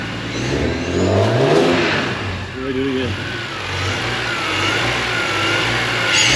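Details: BMW E46 M3, first startup after installing a Turner Motorsport CSL carbon airbox with MAP sensor conversion and modified ECU: fires and blips cleanly, revs rise and fall smoothly with a faint whistle on top, no stumble. Healthy.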